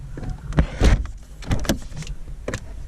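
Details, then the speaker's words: 2009 Ford Fiesta Mk7 1.25 after misfire repair and oil change; sharp irregular metallic clicking from a loose jacking point strap underneath, which had cracked the pillar and torn spot welds, fixed by tightening the bolt. "you can hear a clicking away and that's not good and on Fords these are bad for it so we're going to tighten this up"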